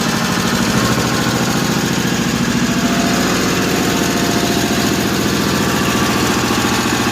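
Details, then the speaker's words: 1955 Cushman Truckster, owner thinks a piece of dirt caused the fuel trouble; steady single-cylinder putt-putt at about three and a half beats per second, even and unbroken, quiet through a homemade EMT-conduit exhaust: smooth, healthy idle. "That engine's quiet as could be. The exhaust note isn't bad either for the exhaust system I have."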